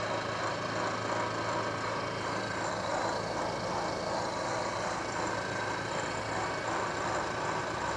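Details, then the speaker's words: KBC mill machining a radius on a bronze acme nut with a corner-rounding end mill, about 0.150 in infeed: even cutting hiss with faint regular rhythm, no chatter, squeal or banging; cutting cleanly. "so far it seems to be doing pretty good with that 150 thou infeed there another cut"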